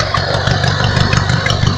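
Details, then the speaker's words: Lawnmower engine newly fitted with an alternator on a makeshift string belt, no load yet, revved slightly: uneven idle with an odd rapid ticking and whirring; owner suspects a wrong setup, source unclear. "This idling is slightly a bit different, but I think it looked all because I don't have the right build on it."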